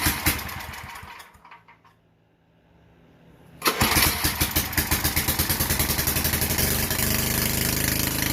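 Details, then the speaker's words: Vintage Generac Niagara 2250 W generator, model 5621-0, Tecumseh 5hp single-cylinder, after replacing gas hose, fuel line clamp and air filter: started on choke with a few slow pulls, then catches and settles into a steady, even thump of about four beats a second; runs healthy. "all right so she runs let's see if it's creating any power"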